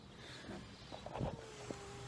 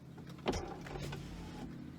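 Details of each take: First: 1999 BMW 328i: short electric whirs of a power window motor cycling down and up with a soft clunk at each stop, working once the key is in the right position; normal power window operation. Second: 1999 BMW 328i power window: the motor whirs steadily with a clunk as travel starts and another at the end, the glass having come off its track a little.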